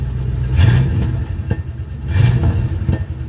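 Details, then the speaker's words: 1979 Rolls-Royce Shadow, first start, about 30 seconds after a cold start: deep low burble swelling twice with soft exhaust pops, thought to be rich cold running; an exhaust leak was suspected, then ruled out. Normal cold idle. "you can hear a bit of pops but that could also just be it's a cold start right now so it's running a bit rich"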